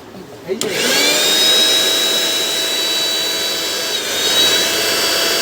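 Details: Bajaj GX 1 mixer grinder after repair of a dead, not-working unit: motor spins up sharply then holds a steady high whine, even pitch, no grinding or stutter; healthy motor.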